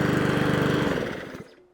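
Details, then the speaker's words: Mountfield HP41 lawnmower, warm after about five minutes of running and before a carburetor clean: steady, even beat with no surging, then shutoff. It runs normally for now, though it may have misbehaved earlier. "Okay, so it's been running for about five minutes now and it's not doing anything other than what it should be doing"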